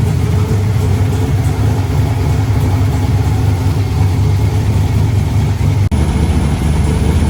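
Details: Freshly installed replacement LS1 V8, first start after the old engine threw a rod through the pan: deep, loud idle with a steady choppy lope and no knocking or clacking; cammed engine running healthily.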